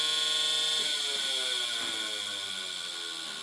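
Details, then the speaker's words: Power Mac G5 Quad at power-on, after an adapter was forced and the drive moved to the upper slot: shrill steady buzzing rattle that fades slightly. Suspected power cable touching the fan or a badly seated drive cage. "So I think one of the power cables is touching the fan. Let's open it. There's something vibrating in there."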